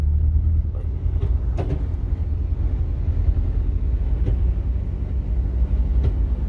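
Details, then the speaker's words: Ford Ranger 3.0 Power Stroke diesel, 175,000 km, running with 4x4 engaged: deep steady droning rumble with sharp clicks heard at the gear lever, worse with traction on; customer thought gearbox. "No mínimo assustador esse barulho, não é mesmo?"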